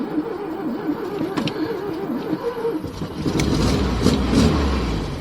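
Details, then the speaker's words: 1972 VW Super Beetle convertible, bought partly disassembled, started cold: slow crank before it fires, then a choppy, lumpy idle that stumbles; it settles and sounds good as it warms up, a rough cold start. "a cold motor so not to be surprised that it took a little bit there but yeah it's running a little choppy it'll warm up in a minute"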